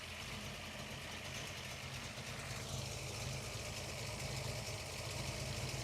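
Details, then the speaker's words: Ford Falcon V8 with lumpy solid cam after new water pump fitted, warming up with temp gauge rising: steady even idle, smooth low burble, no knocks or misses; healthy warm idle. "Let's listen to this. That sounds so good. I One of my favorite parts of driving this car is cruising up to a red light and letting it idle at the set of traffic lights."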